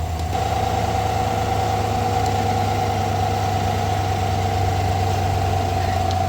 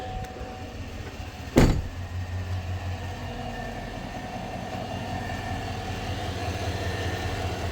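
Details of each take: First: 2020-2021 Chevrolet Silverado V8 idling after replacing the idler pulley and serpentine belt, listened through a funnel at the idler bolt: smooth even low hum, the loud whine that rose with revs now gone. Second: 2021 Chevrolet Silverado V8 idling: faint steady whine over the engine that grows higher and louder with revs; electric power steering and an alternator load test unchanged, traced to a worn idler pulley bearing, replaced with serpentine belt.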